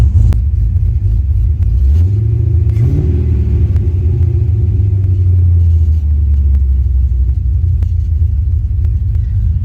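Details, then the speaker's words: LS-swapped wagon V8 with Texas Speed cam fitted during swap: deep, loping idle with uneven chop and brief rev blip; healthy engine, lump from mild aftermarket cam. "So if you're wondering why it has a little lump, that's why. I did put a cam in there. Nothing crazy, but it is cams."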